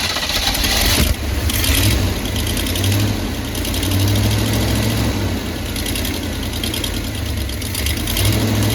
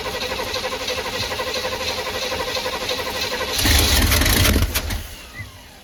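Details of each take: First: 1985/1986 Chevy Hi-Cube van V8 revived after fuel pump primed: deep steady idle, even rumble, no misses or knocks, runs pretty healthy; a mechanical fuel pump is planned. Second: 1985/1986 Chevy Hi-Cube van, revival attempt fed from a boat tank with an electric fuel pump: steady cranking that catches briefly then dies; the pump filled the carburetor but fuel isn't getting through, apparently plugged, so it won't keep running.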